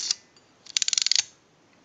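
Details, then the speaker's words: AE candlestick telephone rotary dial with governor installed, during repair and conversion: crisp quick run of about ten even ticks as the dial returns, the ratcheting sound that shows key and spring are working; normal dial ratchet. "working on a dial like this that means that the key is missing or it's installed improperly or the spring is bad you have to hear that ratcheting noise when it's working properly"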